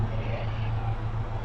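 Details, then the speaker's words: Chevrolet/Suzuki Grand Vitara J20A at idle, heard at the exhaust, with engine shake and lost power: a low, shaky, unevenly pulsing beat; cylinder 3 misfires, showing almost no secondary ignition signal, traced to a faulty cable. "Estamos aquí en este en el escape de este gran vitara y s se siente que tiene un misfire Ahí está más clarito"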